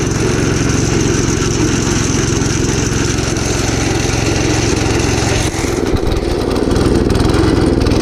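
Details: Gravely Commercial 12 34" Snow Cannon snowblower, cold start after about a month unused, full choke applied by hand: uneven, lumpy running, beat wandering and nearly dying halfway before catching again; possibly fuel starvation.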